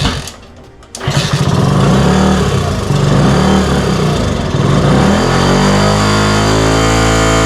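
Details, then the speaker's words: 1964 Honda C110 just reassembled from pieces catches, then idle surges up and down randomly instead of settling; carburetor slide is sticking, so throttle response is erratic. "So the slide isn't working because, as you can tell, it's going up and down in random idles, but we have something to work off of."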